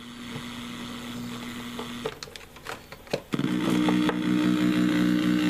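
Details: Cheap replacement laptop power adapter plugged in: a steady, layered buzzing hum leaks through the speakers.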